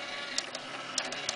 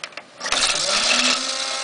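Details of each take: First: Dell Dimension 2400 CD drive that previously stuck and made a loud noise, now running with a light whir and a few quick sharp tray clicks, with no grinding or rattle; it sounds normal. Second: Dell optical drive, disc stuck and won't eject after Windows reinstall: rushing spin-up settling into a steady, loud, high whine as the drive spins hard; cause unknown, loud enough to force shutdown; optical drive loud spinning noise.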